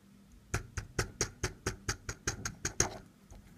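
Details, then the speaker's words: Seiko SNK809 watch (7S26 movement), tilted in a quiet room: about a dozen sharp metallic ticks, one per tilt, metal touching on the lower or upper side of the mechanism; the rotor rattles on its loose center screw. "you can hear that this is the sound of metal is touching thread lower side of the mechanism or the upper side means that the glass it's it's not good they shouldn't meet this type of nose noise that's that's the problem"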